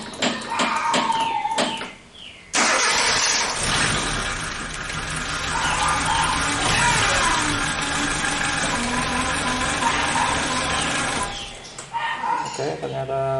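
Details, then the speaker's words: Suzuki Katana (Jimny) engine after timing belt and NTN tensioner bearing replacement and valve clearance adjustment: a few quiet knocks, then it catches at once and runs steady and even with no misses, so it starts and runs healthy. "nyala berarti tidak ada masalah"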